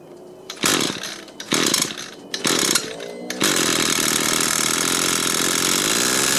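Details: Banged-up used Echo gas two-stroke string trimmer, repaired with a 3D-printed part and a good carburetor salvaged from three, started with the choke on: several pull-start bursts catch, then a steady high buzz without stumbling. Runs properly.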